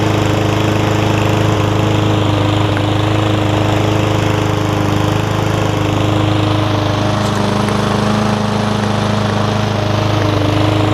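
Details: Yard Man front-wheel-drive self-propelled push mower with Powermore engine, long-sat, carb cleaned except the top jet, fresh gas, oil full but dark: steady, even, throaty single-cylinder run, no surging or misfire; running properly.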